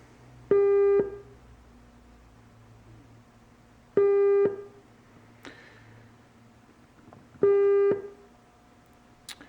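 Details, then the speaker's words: Sony HP-485 with Garrard 3500 turntable that has a dead channel, 400 Hz burst tone fed through the phono preamp: clean bursts about every 3.5 seconds with no hum, crackle or distortion; preamp stage works normally. "okay so as you can hear our uh our phono um preamp stage is working like it should so that's not the issue there"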